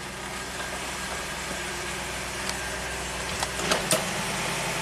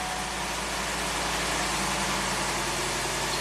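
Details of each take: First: 1993 Cadillac Allante Northstar V8 with P030 idle speed control code: smooth steady idle sitting high, about 1,000 rpm; throttle plate gap seen with idle control plunger, cause not confirmed; high idle speed. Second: 1993 Cadillac Allante Northstar V8 with a new fuel pressure regulator, fuel pump primed and intake manifold cover resealed, after sitting a few hours: fires right up and settles into an even, steady, smooth idle with no stumbles, knocks or hunting. Earlier complaints were long crank after hot soak and an idle speed code.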